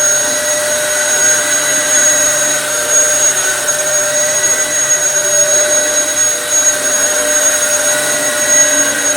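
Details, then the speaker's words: Dyson DC07 vacuum after full restoration with fresh belts (previously ran but had lost all suction): strong, steady high-pitched motor whine with even airflow rush, no rattles or surging; running normally. "It should be a lot better now. It's got fresh belts, fresh everything."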